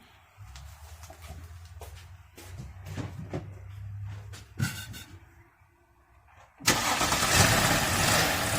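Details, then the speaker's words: 2012 Audi A7 3.0L supercharged, after intake reinstallation: uneven idle with scattered clunks, then loud steady hiss of air sucked into the open dipstick tube; excessive crankcase vacuum, PCV system fault suspected, unconfirmed. "like a bad vacuum leaking it wouldn't be pulling extreme vacuum in this dipstick here let me do some thinking but normally like when this happens there there's obviously something wrong with the pcv system"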